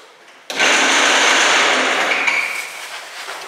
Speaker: Not supposed to make that noise.